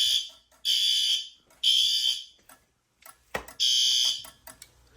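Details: Fire alarm drill: loud shrill horn blasts, about one second on and half off, in a steady repeating pattern; horn strobes sound normally, though the CO strobes also activate and the fire door shuts on drill.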